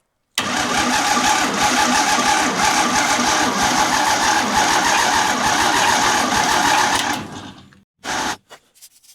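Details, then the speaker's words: 1952 International L130 with its stock engine, sitting idle for years, vacuum wiper line plugged, battery partly recharged: several seconds of even starter cranking with no firing; crank-no-start from no spark at the plugs or distributor points. "No spark. [snorts] No spark. I wasn't getting spark at the spark plugs. Traced that back. I wasn't getting it at the points in the distributor."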